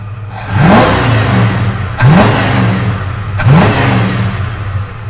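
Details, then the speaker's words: Mild street V8 in a Duster, Holley-type carburetor retuned with blue pump cam and 37 squirter to cure a bog, parked: three quick blips from a lumpy idle, each rising cleanly and dropping straight back with no hesitation; normal throttle response. "Perfection. Yes. I feel great about that."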